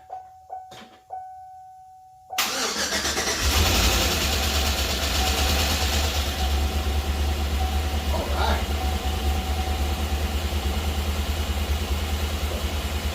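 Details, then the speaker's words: Chevy 5.3 V8 after full AFM delete, new cam bearings and brand-new lifters, first start without coolant or all hoses hooked up: cranking clicks, catches and idles with quick even top-end tick; expected new-lifter noise until oil reaches them. "and now I know it was noisy at first I was expecting that of course they're brand new lifters"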